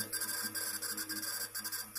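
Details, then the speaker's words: Old Western Digital 250 GB hard drive, creaking when reading many small photos or booting from it but not on large files, not detected on another computer: faint scratchy crackles in quick irregular bursts over a steady high whine, owner will replace it. "Вот так вот он, этот парняга, работает. Я аж испугался."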